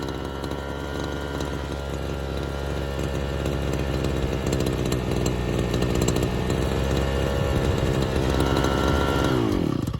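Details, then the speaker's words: Engine starving for fuel: the saw holds a rough, uneven high rev for several seconds, then the pitch sags and it dies because the tank is empty, after the high-speed carburetor screw was turned in about two turns; an air leak is not yet ruled out. "and now it's just not got enough fuel in it it's not sucking enough and i can hear that and i can see it there's literally nothing left in the tank"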